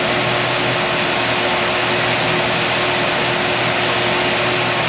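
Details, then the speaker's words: 1955 Chevy truck with an LS swap, first runs after 10 years: at about 223° the cooling fan kicks on with a steady, even rushing whoosh and a faint low hum, no rattle or rubbing; normal fan cycling. "so we're 223 it should be kicking back on just about any time now we're looking at this number right there so there's the fan kicking on"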